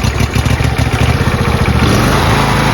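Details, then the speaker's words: John Deere LT166 riding mower small engine at low throttle after carburetor cleaning and timing fix, puttering evenly with no buzz or rattle; normal running. "Go for low throttle, just make less noise. Okay, it's actually not doing it anymore. That's good."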